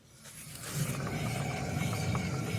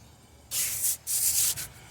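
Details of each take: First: 2011 Chevy Impala with a humming noise while driving and tires in good condition: a rear wheel spun freely by hand gives a low, rough rumble, harsher and thicker than the other side, with play felt when shaken; a worn wheel bearing. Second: 2011 Chevy Impala, wheel spun by hand on the side without the bad bearing: soft pulsing swish of brake pads lightly touching the rotor, not bad, and no humming; the humming bad bearing is on the right rear.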